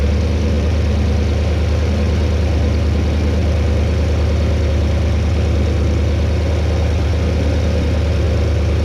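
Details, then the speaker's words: 2008 Porsche Cayenne Turbo V8 settling into idle right after a DIY oil change and refill: a deep, steady low rumble with an even pulse and no knocks or ticks, sounding healthy. "We're gonna go ahead and fire it up. You guys can hear this beautiful monster."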